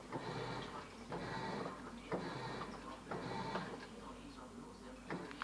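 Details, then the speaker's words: LG washing machine previously stuck taking in water, after pressure switch replacement, tub manually half-filled: quiet repeating swish-and-pause as the drum turns then rests, soft motor whir; normal wash cycle, new switch working. "So as you hear the machine is washing. So the new pressure switch installation is working."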